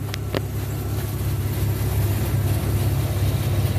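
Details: 1995 Chevy Blazer 4.3L CPI after replacing spider injector assembly and leaking lines, warm in closed loop, fuel pressure 52 psi: steady, even low rumble with no misses, knocks or hunting; healthy idle.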